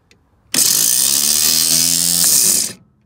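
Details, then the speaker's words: '65 Chevy C10 with rebuilt starter: high, thin whir for about two seconds with no cranking. The pinion is not fully engaging the flywheel, and the owner thinks the forks were installed wrong. "I see what's wrong with it it's not fully engaging all the way"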